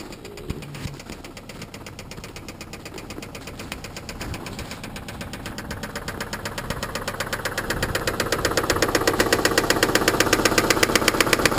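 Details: Subaru petrol engine at idle knocking sharply and evenly, about four times a second; owner thinks it is more than normal piston slap, cause unknown.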